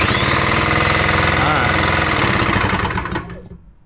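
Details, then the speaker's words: 1960s two-stroke mower engine spun over with a socket: fast, regular knocking that fades as it stops, sounding like rod knock; engine knock, worn bottom end suspected. "sounds like rod knock to me doesn't it yeah unfortunately as you guys heard this one's pretty well roached"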